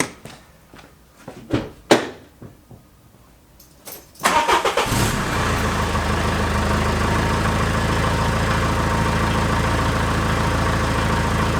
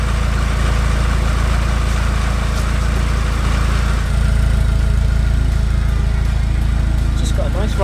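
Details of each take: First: Peugeot 306 Meridian 2.0 HDi diesel, stage one, on the original rusted exhaust: cranks and catches, then loud raspy puffing idle; exhaust blowing in many places, before replacement with stainless system. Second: Peugeot 306 Meridian 2.0 HDi with new custom stainless exhaust with extra silencer boxes, engine bay damp from rain: deep, even exhaust rumble with a steady low thrum and no knocks or misses; normal diesel idle.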